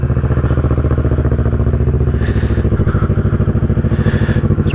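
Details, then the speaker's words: 2010 Kawasaki ER-6n twin after new coils and spark plugs, cold start on choke: steady, slightly lumpy beat with even exhaust pulse at fast idle; running cleanly while warming. "warm up and that choke to drop out a little bit."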